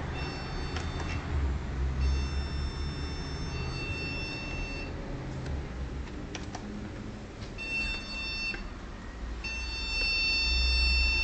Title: Computer problem, keep beeping and wont start up